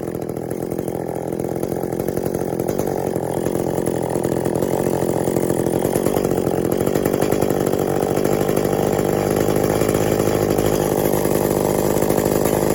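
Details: Echo CS400 chainsaw after OEM oil pump replacement (stripped plastic gears): steady, high two-stroke buzz at even speed, no stumbling or bogging; tuned from boggy, could use more tuning (limiters still in); oiling well, normal running.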